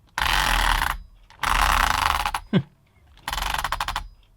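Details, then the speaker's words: Used HPI Trophy nitro buggy, during pull-start attempts with a weak pull start that keeps snapping: harsh ratcheting bursts of about a second each, with rapid clicking in the last. Something in the drivetrain is slipping, cause unclear. "Oh, that doesn't sound good, does it? Bloody hell."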